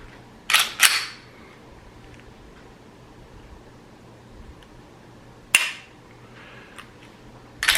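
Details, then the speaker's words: Newly installed Timney Alpha competition trigger in a Glock, about 3 lb pull, dry fire: crisp isolated clicks on break and reset, no grating or binding; smooth, light, clean break. "Very smooth. You don't hear any binding. Very crisp, clean break. Very light pull."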